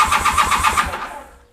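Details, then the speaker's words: Honda CB400 Hawk with pod filters and random jets from a previous owner, and a loose choke cable spring. It cranks at a quick even chuff without firing. Mechanic suspects no fuel rather than richness and plans to drain the bowl and pull the plugs. "damn thing doesn't even sound like them wants to shut a kick over so I'm gonna do a couple of things"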